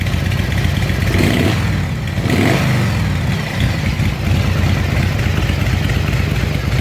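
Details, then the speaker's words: S&S Super E V-twin after carburetor rebuild, cold start without choke on a chilly day: deep, loud lope revs cleanly and drops back to a steady idle without stumbling; running properly, rebuild worked. "you need to get those baffles taken out sounds like yeah it worked"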